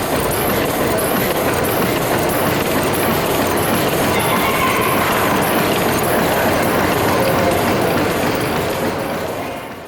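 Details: Over-a-century-old 300 hp steam engine at Gaswerk Schlieren on its first spin: even, steady chuffing about three beats per second over a soft hiss; smooth, healthy normal running.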